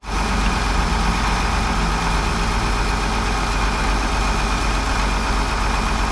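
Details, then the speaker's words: Cat D7F dozer, old military tractor bought non-running at auction, idling after start with ether and glow plug preheat on a weak battery: deep, smooth, steady diesel idle, no knocks, misses or hunting, no blow-by; healthy. "so she's purring like a pit no blow-by feels good so I'm happy with it"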